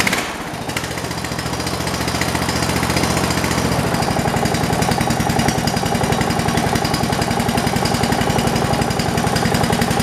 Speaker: idles really nice it doesn't surge that's as far down as it'll idle too